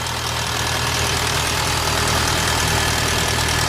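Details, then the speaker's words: VW Bora GLI 2.0 turbo at idle before repair: fast metallic chatter about four ticks a second from the valve cover area; worn timing chain, fixed by replacing chain, both camshafts, tensioner and cam cover. "este motor tenía un sonido en las tapas de puntería se escuchaba como bustos descargados era la cadena se cambió la cadena los dos árboles el temblador y la tapa de los árboles"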